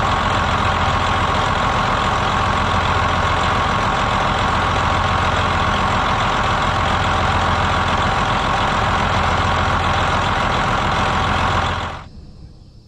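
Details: 2007 Freightliner Columbia Series 60 Detroit diesel after replacing a bad clutch fan hub: steady even diesel clatter at idle with uniform beat and no knock or wobble before shutdown; running healthy.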